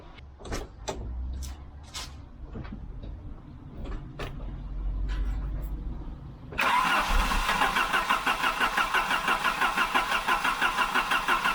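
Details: 1988 Volvo 740 GL (745) 2.3 petrol B230F Redblock, barn find stored almost 10 years, with a couple of litres of fresh fuel diluting old fuel: some clicking, then steady cranking at about three pulses a second that barely catches; long crank, struggling to start.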